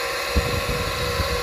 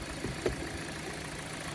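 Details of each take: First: Car that went through flood water, idling after being run to dry out: steady high-pitched whine over the idle with faint fan hum, not present before; sounds like the alternator. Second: Hyundai Elantra stalled after driving through a flood puddle, oil pressure switch cleaned, running without air filter while drying out: quiet, even, smooth idle with no knocks or ticks; engine healthy.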